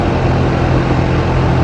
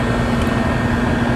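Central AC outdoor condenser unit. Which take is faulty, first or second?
first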